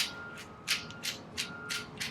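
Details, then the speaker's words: Traxxas TRX 3.3 nitro engine turned by hand gives gritty clunking about three times a second; crankshaft moves with play, bearings definitely bad, new bearings ordered. "it's making a lot of clunking noise so just listen to this nitro engine um stuff is on the way so we have identified the problem with this guy"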